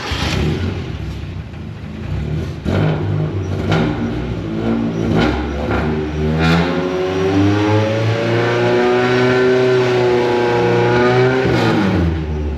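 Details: Endurance-race Mazda Miata with newly installed stand-alone AEM ECU and cam gears, not yet tuned: the engine stumbles and hesitates early, then revs up unevenly with a wavering pitch. Running poorly and needs proper tuning.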